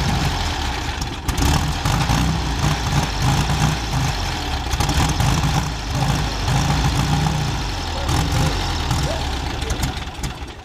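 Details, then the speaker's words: Carbureted Chevrolet Chevette engine, first run after 26 years parked: a low, steady idle with an even, round beat and only slight swells; normal idle. "eu tô carburador certo tá bom cara redondinho"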